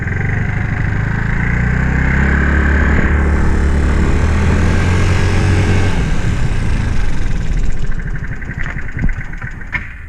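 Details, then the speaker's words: Scooter (Znen) playing up: low, lumpy idle thumping around four beats a second that sags and nearly dies; idle set too low. "that idol's too low all right let's try doing that live shall we"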